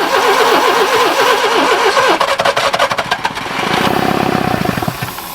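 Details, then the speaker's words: Barn-find Subaru Brumby ute, previously seized and full of water: cranking whirr, then ragged firing that briefly steadies and dies when throttle is backed off, won't restart; owner suspects blocked exhaust. "when i backed the throttle off it stopped there's something going out here is the exhaust blocked maybe and it won't start"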